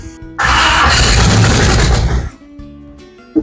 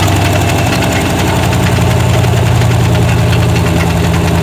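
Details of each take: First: 1970 Chevy C10 with a 5.7 Vortec 350 from a 1998 van and a 700R4, first start: loud crank into a rough, raspy idle with a puffing note; exhaust leaking at an unsealed donut gasket, possibly also a vacuum leak. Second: 1970 Chevy C10 with a 1998 5.7 Vortec 350 and 700R4: even, steady V8 burble at idle on all eight cylinders with a faint puffing tick from a small exhaust leak; otherwise runs smoothly.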